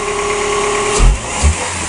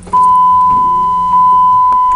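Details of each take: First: 2003 Chrysler Voyager 2.4 after an intake install, with two small sensors reconnected: a steady, smooth idle with no knocks or misfire, a couple of dull thumps around it; no leaks so far and it sounds healthy. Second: 2003 Chrysler Voyager 2.4 after an intake install: it cranks, catches briefly and dies within seconds; the throttle body sensor and possibly the MAP sensor were left unplugged.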